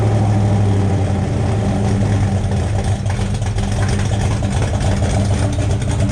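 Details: 427 V8 after finding a loose cylinder 8 exhaust rocker, with exhaust O2 sensor hole still open: deep, lumpy, even idle with steady low rumble, no knocks or ticks; healthy running.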